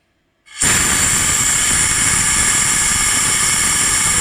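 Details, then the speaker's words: Cylinder head after repair, exhaust valves leak-tested with air pressure: a steady, sharp airy hiss holds unchanged for about four seconds, air escaping past poorly sealing exhaust valve seats; nearly all leak except number 3. "пропускает. 6 пропускает. 5 пропускает. 4 пропускает."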